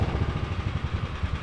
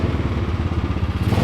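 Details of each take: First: Small single-cylinder 301 lawnmower engine with a Two Brothers exhaust in a mini trophy truck, first start on fresh fuel: idles with an uneven, lumpy beat and irregular pulses; owners suspect a slightly dirty carb. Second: Small single-cylinder 301 lawnmower engine with a Two Brothers exhaust in a mini trophy truck, first start on fresh fuel: revs up with a crisp, even exhaust note and steady low putter, running clean and healthy.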